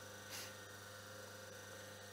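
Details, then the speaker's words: Myford ML7 lathe motor, single-phase 4-pole (~1425 rpm on 50 Hz), resilient-mounted, plain felt-wick oiled bearings, running on mains: quiet steady low hum with no rumble, grinding or knocking, switch click audible; healthy after a little oil. "here it's quite silent just oil it a little bit and uh you can hear the switch also"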